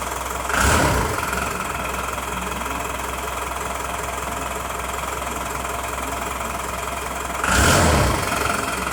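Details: Diesel engine with a VE-style injection pump, idling right after the pump timing was advanced: a hard, even clatter over the engine note with two brief rev blips, and the knock sounds sharper than usual; the cause is suspected, not confirmed.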